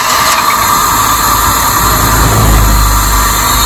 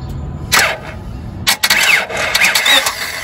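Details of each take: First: 1997 Honda Civic 1.6L D16Y7, crank-no-start with no spark, traced to a bad ignition coil in distributor: catches and settles into steady, even idle with no misses or knocks. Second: 1997 Honda Civic 1.6L D16Y7, intermittent then no start; fuel, injector pulse and 150 psi compression fine: uneven cranking that never catches; igniter control present but no spark from ignition coil, coil failed.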